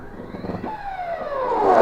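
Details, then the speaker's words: CNC stepper motor driven by Mach3 through a USB controller: a high whine slides downward, then a harsh rising buzz as the motor stalls at too high a feed rate. Mach3 still shows it moving because there is no feedback. "right yeah yeah it still says it's moving because the motor is stalling but the computer doesn't understand that the motor is stalling it doesn't know that it doesn't have any feedback"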